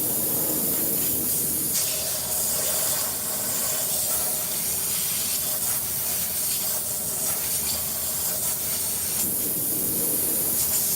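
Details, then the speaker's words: Tire with a broken part; steady, sharp hiss throughout, likely air escaping from the tire, cause not confirmed. "Y'all hear that hissing sound? You gotta fix that."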